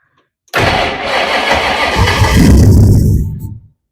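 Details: Supercharged 1962 Ford Falcon gasser, distributor gear recently replaced: about three seconds of fast, even cranking near three turns a second, then it stops without catching; owners suspect supercharger load and pull the belt.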